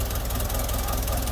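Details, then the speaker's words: 1983 Jeep DJ5 postal Jeep, old cracked vacuum lines: lumpy uneven idle with low thumps breaking rhythm, engine shaking; misfire in one unknown cylinder, vacuum leak suspected, not confirmed. "see it shaking back and forth. There's obviously a miss in one of the cylinders. I don't know which one."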